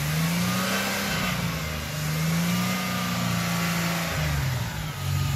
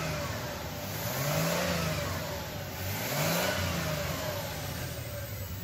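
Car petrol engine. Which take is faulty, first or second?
second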